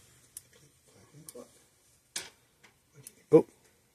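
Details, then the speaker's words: Speedrite SM 5800 electric fence energizer built August 1992, on the bench: sharp isolated clicks at uneven gaps, roughly one per second, pulsing erratically; suspected fault in the board or the two large capacitors, not confirmed. "I kind of see it click it's all radic okay so so we got issu somewhere either in the board or this big old these two big capacitors are shot"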